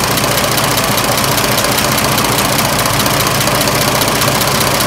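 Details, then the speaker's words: 1926 Oakland engine, back running after 75 years off road, warm idle: steady even patter of firing pulses, no knocks or rattles, much quieter than when cold; unpressurized cooling system, water pump shaft weeping slightly. "this engine is so much quieter when it's warm"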